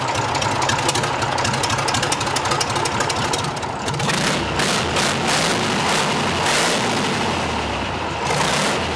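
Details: Rebuilt Tatra 148 diesel warming up outside the workshop, open exhaust: loud, raw, steady rumble with a couple of throttle blips; oil pressure rose as it ran, engine runs evenly and sounds sound.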